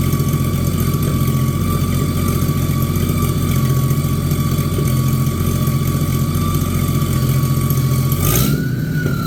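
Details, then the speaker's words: Abandoned, mouse-damaged Chevy 216 inline-six from a 1950 Chevy 1-ton truck restoration: low droning idle with an uneven, loping beat. It is still using oil, smoking and running poorly; rough running, likely one weak cylinder. "now this engine here is actually better than I thought it was going to be but uh it's still not good still using oil it's smoking and it's not running the greatest"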